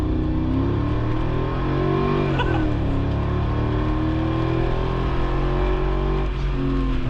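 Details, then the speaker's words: Mercedes G55 AMG V8, 350 hp, 222,000 miles, side-pipe exhaust: loud deep bellow climbing smoothly through the revs, no knocks or misses; normal revving, healthy engine, no check engine light. "That is some noise. 350 horsepower on this thing, so the acceleration, well, isn't that brisk. It's just all noise."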